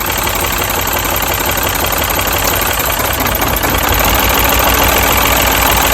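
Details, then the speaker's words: Mini misfiring badly at idle, coil test: with the first pencil coil unplugged the idle turns rough and stumbling with an uneven loping beat about three per second as that cylinder goes dead, showing that coil works; misfire from unplugged ignition coil. "and as you see once i took off the first pencil coil the car started acting weird so that means this pencil coil works perfectly"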